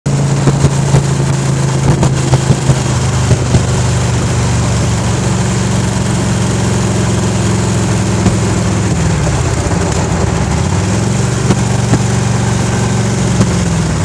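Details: 1991 Harley-Davidson Electra Glide V-twin with a light ticking over its lumpy beat that worsens as it warms and at higher rpm, mainly on the freeway, absent when cold; owner unsure if pinging, knocking or valve noise.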